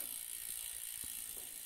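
A soft, even ratcheting with only a few faint clicks, a rear derailleur running quietly once properly adjusted.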